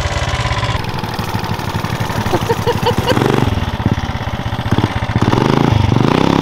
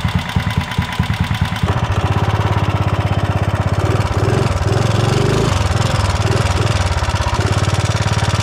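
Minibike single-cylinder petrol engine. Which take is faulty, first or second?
second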